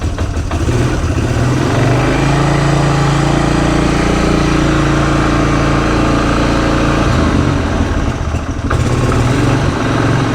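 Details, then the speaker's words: 2006 Polaris Hawkeye 4x4 single-cylinder, first start after sitting 10 months, idling with choke on and held just off idle to warm up: loose, uneven knocking from the CVT drive clutch behind the aluminum clutch cover. "I don't know if you can hear it got a little knocking in there that is the sound of the clutch"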